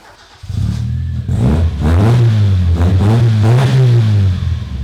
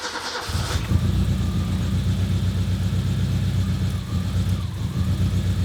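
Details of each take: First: Toyota Corolla revved with a sparkler in the exhaust to test for flames: clean rev rises, a smooth even exhaust note, no popping. No flames appear because the engine burns its fuel so efficiently that no unburnt fuel reaches the exhaust. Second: Car during a DIY flamethrower kit install: an uneven, lumpy idle with an irregular low throb. It sounds like it is only running on three cylinders; the cause is not confirmed.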